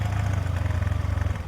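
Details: TVS Ntorq 125 BS4 scooter with hard morning starts, auto choke not working; idling with auto choke sensor held in place. Quick, even cold-start fast idle with a light steady tick over the low thrum.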